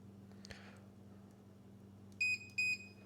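Two short, high, clean beeps over a quiet low hum; the meter shows continuity, so the breaker pole is closed.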